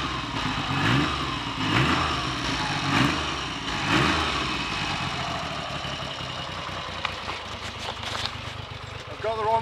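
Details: Triumph Trident T150V triple started after standing over two years; four throttle blips about a second apart, then a steady, even idle with no misfire or knock, healthy.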